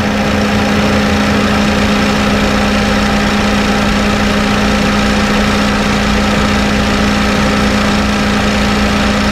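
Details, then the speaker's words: Honda Fit GD3 idling with the AC on: a constant low hum and rumble from the compressor. The sight glass shows the gas isn't overfilled, so the mechanic thinks the compressor is slightly worn (not confirmed). "ガスがね、入りすぎでもないです。これね、多分コンプレッサーのちょっとへたりだと思います。"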